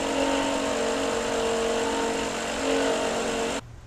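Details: Car engine: a steady droning whir, a rubbing sound first suspected at the timing belt. It persisted after pump replacement and traced to a worn alternator bearing with shaft play.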